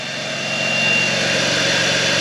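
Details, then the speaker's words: BMW E83 X3 M54 six-cylinder after top-end rebuild, first run on fresh 93 fuel, idling smoothly: thin, steady high-pitched whine over the engine from a bad belt pulley; hydraulic tensioner upgrade kit ordered. "I don't know if you can hear that whining. That's the our bad pulley down there."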